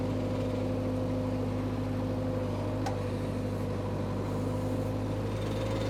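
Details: Power Trac 1850 diesel tractor/mower, just revived after all fluids were changed, running with the mower hooked up: a steady, even diesel drone with a constant low hum and mower whir, no knocks or misses. The tractor runs smoothly.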